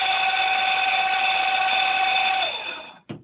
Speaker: That should be taken as a warning sound that you should really disconnect power to the pump immediately because it's it's a sound that's emanating from the impeller running dry on the shaft.